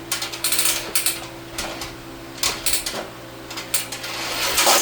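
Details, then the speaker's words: New Giraffe Tools Grandfalls Ultra Flow electric pressure washer, integrated hose reel: crisp irregular ratchet clicks as hose pulls out and locks; pulling past the clicks retracts it; works as it should. "But then you got this hose reel integrated into the bottom. Works just like a regular one. You hear the clicks. That's how it locks in place."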